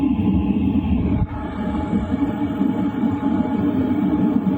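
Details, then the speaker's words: LF Bros diesel heater at 2.5 kW, heard inside a tent around 11 p.m.; noise about the same as at 2 kW: steady low hum with soft rushing fan, no ticks, surges or rattles; normal running. "And honestly, the noise is pretty much the same."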